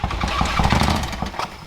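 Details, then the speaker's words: Toyota FJ55 Land Cruiser engine freshly started: it runs rough with sharp, uneven knocks over a low rumble. It has plenty of compression and the starter is ruled out, so a bottom-end knock is suspected. "That's bottom end. Is it the bottom end? Mhm. We're thinking that it's the bottom end cuz it does not sound bueno."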